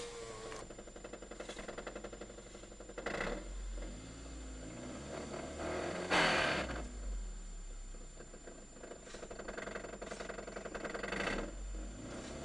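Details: Toyota Caldina 210 3S-GTE engine knock: an uneven clatter of knocks rising and falling as the engine is revved, audible over the running engine; cause unknown, later fixed.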